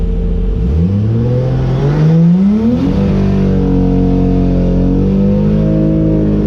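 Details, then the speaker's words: Drag car at the track, just after a burnout: uneven, lumpy exhaust note stumbling as revs rise and fall; misfire felt on leaving the burnout so the driver backed off the line, cause not confirmed. "after I came out of the burnout I started to feel like a misfire so I backed off the line"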